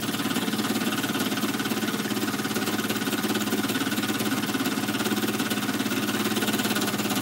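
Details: Small model steam engine, brass frame bolted to boiler, freshly reamed: even steady run with light regular knock about three times a second; intended bearing clearance, crankshaft would seize from expansion without it; normal.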